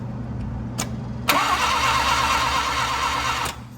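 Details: 1980 Mazda RX-7 rotary, sat 6 to 8 months, cranked with a spark tester fitted: starter churns steadily about two seconds with a rhythmic beat but never catches; spark confirmed at the plugs, so coils and distributor are good, and fuel is checked next.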